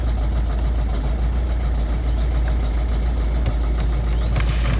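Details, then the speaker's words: 2011 Ford Focus 1.6 TDCi Style, injector problem suspected, no fault codes: deep steady diesel clatter at cold idle with an uneven, lumpy beat underneath, a bit smoky, tick possibly from an injector; rough running after cold start, cause unconfirmed. "Right, so I've got the key. I have already started it up. It sounds like a bag of shit."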